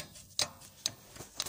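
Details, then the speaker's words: Rear brake pad on a Nissan Maxima rattling loosely in its caliper bracket, heard as sparse sharp metallic ticks; it rattles over small bumps. The fix starts with removing both guide pins to check that they slide freely. "вот слышно вот видно как колодка болтается крепежом"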